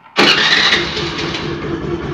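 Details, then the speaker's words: Honda Aviator scooter after a fix to reduce handle vibration and improve pickup: quick catch on the starter, then a smooth, steady idle with no rattle or knock; sound changed from before and vibration nearly gone; normal start and idle. "तो आप इसे सुन सकते हैं आवाज़ें पहले से, आवाज़ में भी काफ़ी इसके बदलाव हुआ है, और वाइब्रेशंस बिल्कुल कम है, आप देख सकते हैं।"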